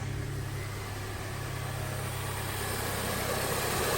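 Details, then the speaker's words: 2008 Honda CR-V after power steering pump, O-ring and fluid replacement and bleeding by turning lock to lock: smooth, steady idle while the wheel is turned, no pump whine or groan; normal power steering pump. "Let's go ahead and turn the steering wheel so you guys see that there's no noise. So that's no winding noise, no weird looking noise, no weird sounding, not weird"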